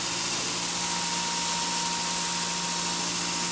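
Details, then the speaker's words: New belt grinder at maximum speed while leaned on gently by hand; a quiet machine that doesn't sound very fast, pretty much no vibration; smooth, steady hiss with a constant thin tone, no rubbing or wobble. "to me actually doesn't sound very fast because this is a much quieter machine."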